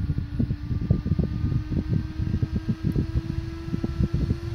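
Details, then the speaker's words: Small cooling fan on a discrete-component PWM speed controller, pot turned up to about 6000 RPM: even mid-pitched hum with fast steady flutter rising as the fan speeds up; smooth, nothing wrong. "It just gives an idea that it is actually controlling the speed of the fan. And you can actually hear the fan speeding up as well."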